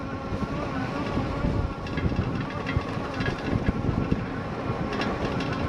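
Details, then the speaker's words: Lectric XP 2.0 folding e-bike on rough beach trails at full throttle, capped near 10 mph: a loose, irregular clattering rattle over riding and tyre noise that rises with each bump. The fender is loose and shaking. "Again, you hear that fender going kind of crazy"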